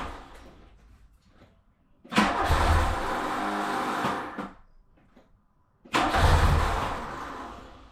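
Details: VW Mark II Polo GT Breadvan that cut out while driving: two long bursts of cranking and engine noise that never settle into an idle, separated by pauses; fuel starved after running out of petrol.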